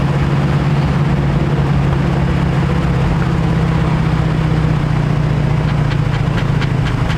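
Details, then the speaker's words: 1951 Chevrolet half-ton truck, long sitting, old fuel: steady low-drone idle needing heavy choke to keep running; very lean, more air than fuel, idle circuits not cleaned and needle and seat suspected sticking. "Well, so that tells me it's running really lean. It's getting way more air than fuel, so we're still lacking fuel."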